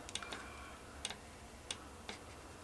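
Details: 1.9 SDI VW Caddy junkyard engine, about 190,000 km, engine off with ignition on: sharp light clicks a few times in under three seconds; fuel shutoff solenoid switching normally.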